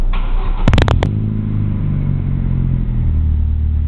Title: aveo exhaust (fixed exhaust leak)